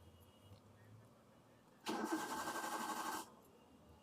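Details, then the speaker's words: Old Maruti Suzuki Wagon R that stopped suddenly while driving: starter cranks about 1.5 seconds but engine never fires, security light flashing; immobilizer blocking start, codes P1623 and P0340, faulty ECU suspected. "यह crank करेगा। लेकिन चालू नहीं हो रहा है। . और इसके सुरक्षा प्रकाश पलक झपकाना।"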